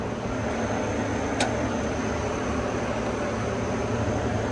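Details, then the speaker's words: Old Gehl telehandler diesel after new low-pressure fuel pump and rebuilt starter, cab removed for access: even, steady idle clatter with no hunting or stumbling; runs well. "well that actually sounds pretty good so I don't see any reason why we should just go ahead and uh bolt this cab back on"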